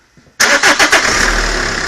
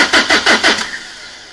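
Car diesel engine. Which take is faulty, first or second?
second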